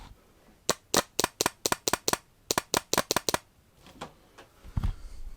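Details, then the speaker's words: Fuel pump relay from a 2001 MINI Cooper R50 energized on the bench at 12 volts, microphone close by: quick crisp clicks as the electromagnetic coil switches the contacts, a healthy relay. "so that's the electromagnetic coil working"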